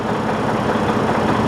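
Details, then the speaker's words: Detroit DD15 diesel at idle, no check-engine light or codes, no injector fault or misfire: steady sharp tapping knock like something hitting inside a cylinder or connecting rod; points to a broken cylinder liner. "It's a very unusual sound. It is like something inside a cylinder or a connecting rod is hitting each other. So you hear that tat tat tat tat tat tat."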